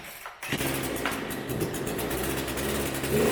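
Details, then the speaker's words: PoulanPro 4218 42cc chainsaw just after top-end rebuild (cylinder/piston kit) following overheating and lost compression: fires on second pull, settles into steady even buzzing idle, no misses, some oil burning off; success. "How about that? Second pull. We're getting some of the burn off of the oil that I put in there, but I'd say it's a success."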